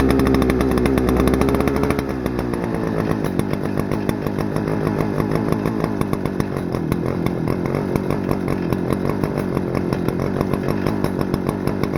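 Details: Stihl FS-250R 40cc two-stroke trimmer after carb rebuild kit, 50:1 ethanol-free fuel, setting high-speed screw at full throttle: steady high scream with no bogging or surging, revs very high; normal full-throttle run.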